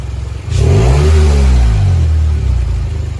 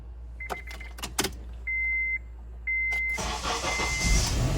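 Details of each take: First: 2002 or 2003 Honda CR-V, 140,000-plus miles, before repair: throaty, raspy rev falling to lumpy idle with loose puffing note; exhaust leak from rusted muffler pipe, to be welded, plus broken exhaust manifold bolt replaced. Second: Honda CR-V after replacing a broken exhaust manifold bolt and welding a rusted muffler pipe: door chimes, then a smooth, low, quiet idle with no rattle or blowing leak; exhaust now sealed.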